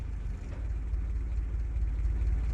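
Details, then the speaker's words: World War II Jeep, semi-warm after sitting an hour or two, on newly fitted surface-discharge spark plugs: catches right away and settles into steady, low, even idle with no misses or knocks; clean start, good idle. "That launched off there. It doesn't usually launch off quite that well there. Very nice. Does seem like a good idle actually."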